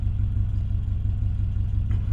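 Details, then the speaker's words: Subaru Legacy with 259,000 miles after engine refresh, running on alternator with weak battery, battery light on: low even rumble with steady beat and no misses or knocks; idle smoother than ever, normal. "259,000 mi, but the idle is smoother than it's ever been."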